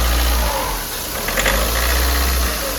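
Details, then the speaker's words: VW Polo diesel before repair: loud, rough idle with a hard rattly knock and stumbles, heavy white smoke, engine jerking, sounding as if something broke inside; injectors suspected jammed, so all four are to be removed for repair. "हा तो भाई देखो white स्म कितना आ रहा है इसम white smoke भी बहुत ज्यादा आना इसम और लॉकिंग की भी जो है आवाज है इसम इजन किस तरीके से रहा है और इंजन के अंदर ऐसा लग रहा है जैसे कुछ टूट गया"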